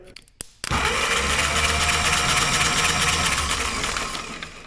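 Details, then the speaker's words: Caterpillar pony motor whose starter had been whirling without engaging, now loosened and wedged at an angle: the starter bites in and spins the engine steadily with a high whirring gear note; it engages now. "let's see if she engages now [Music] contact yeah you guys hear the difference"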